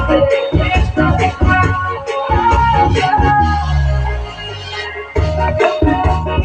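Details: NAKOYA CX371 amplifier after repair, where a switch was replaced to cure one hoarse, distorted channel: music plays clean and full with solid bass, no crackle or hoarse break-up; amplifier output normal.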